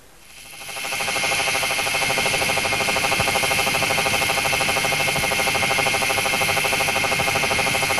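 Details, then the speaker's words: SKF electronic stethoscope on a 60309 deep groove ball bearing at 2,000 rpm under 20,000 N load: uneven, lower-frequency knocks about three per second over a hiss, from a damaged ball. "the noise made by a damaged ball is more uneven and of lower frequency"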